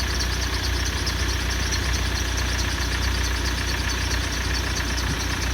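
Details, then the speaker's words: Car idling at the lab with a thin steady whistle from a belt-drive roller replaced three days earlier; whine after repair. "а вот это слышать шум ролика которую поменяли которые поменяли 3 дня назад"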